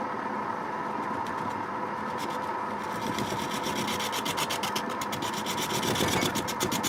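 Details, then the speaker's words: Record wood lathe turning a wet, heavy quilted sycamore bowl blank: a hum with a pulsing, wobbling flutter about four times a second that grows louder as the cut goes on. The turner suspects something touching the tool rest, or a blank too wet and heavy for the machine. "something's wrong here this warbling sound vibration is some kind think something was touching the tool rest"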